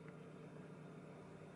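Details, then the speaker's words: 2000 Toyota Camry 2.2 with header, after installing flex pipe and clamping resonator to intermediate pipe: a low, soft, steady idle with no ticking or puffing; the exhaust is sealed and quiet. "sounds good sounds like a Camry with a full exhaust system imagine that"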